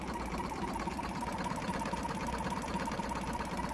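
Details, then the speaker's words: Jumper box air compressor motor, previously seized and still tight, with a bad internal battery: small motor buzzes at a steady tone but pulses unevenly about twice a second, labored like a misfire; owner hopes running will free it. "it almost sounds like a car misfiring it definitely sounds like that motor is a bit tight"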